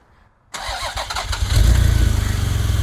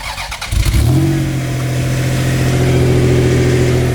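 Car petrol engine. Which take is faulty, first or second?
first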